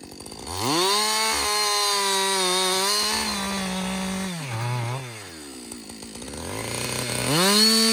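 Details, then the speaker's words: Husqvarna 562XP 60cc chainsaw, reflashed by the shop after dying when hot, not starting and stumbling, bucking dead windfall about two-thirds into a tank: strong steady high buzz holds pitch while cutting, drops and revs back cleanly; healthy under load. "so far it's running great um I've got I'd say about I don't know two-thirds of a tank gone but listen this is real world practical use right 60cc saw bucking up some windfall some dead windfall"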